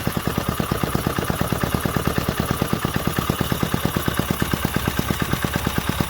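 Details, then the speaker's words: 1968 Briggs & Stratton 2.25 hp single-cylinder, first fire after sitting decades, on full choke; quick even pop-pop-pop at steady pace, soft muted exhaust; runs healthy and smooth. "Full choke. Hot damn. Man, that muffler is so quiet."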